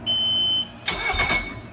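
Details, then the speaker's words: 2006 Mercury 115 hp naturally aspirated four-stroke outboard, cranked without starting after replacing the alternator-to-flywheel stretch belt: a short beep, then a brief, even starter churn with the belt riding its grooves properly; cranking is normal. "I'm not going to start it. I'm just going to crank"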